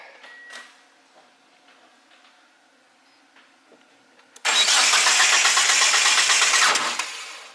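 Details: 1G GSX AWD big-turbo build that ran before things were wiggled and moved, cranked after two touching, possibly grounding wires were taped. About 2.5 seconds of fast, even cranking that stumbles and never catches; ignition misfire on crank suspected.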